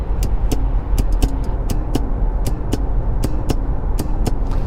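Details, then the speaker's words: Renault Kadjar, 1.2-litre 130 hp petrol, manual gearbox, inside cabin: sharp irregular clicks with short springy twang over low cabin rumble as the gear lever's reverse lockout ring moves; spring inside audible. Reverse lockout spring noise. "there's this device the ring that secures the reverse gear so you don't put it into reverse accidentally listen to The Sounds it makes"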